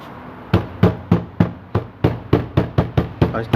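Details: Fiat Cronos door: hollow knocks about three a second, each with a brief buzzy rattle, from a loose screw in the door panel; the panel was then disassembled.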